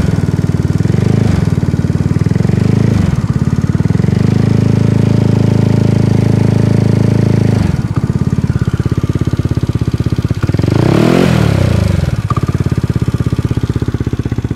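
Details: Zuma scooter with a Tripple88 164cc single-cylinder kit, idling and revving: a light, fast ticking that speeds up with the revs; the source is not identified.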